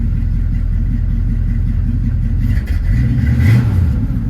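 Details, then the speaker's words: Hurricane Ida flood-damaged 1979 Chevrolet Camaro Z28 V8, second start after rusty water came out of the exhaust, running on carburetor bowl fuel: fires and revs unevenly with lumpy exhaust beat and brief stumble; water still in tailpipes, owner suspects water in fuel. "Yeah, I mean, we're still pushing water out of the tailpipes, but It actually sounded reasonably healthy. You know, we may be dealing with water in the fuel or something."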